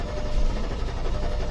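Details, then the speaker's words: 2001 Audi A8L 4.2 Quattro that died while driving and would not restart: starts, runs rough with lumpy stumbling rumble for a couple of seconds, then stalls; lean on both banks, suspected fuel issue. "see it'll start run for a couple seconds rough and shut off sometimes you can get it to run for"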